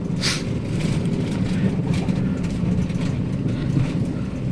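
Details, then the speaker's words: Daihatsu Sirion on a rough-road test drive after replacing the rack end: steady low road rumble with no clunks or rattles from the front, so the front suspension knock is fixed. "sekarang untuk suaranya enak ya enggak ada suara geletakgutuk di bagian"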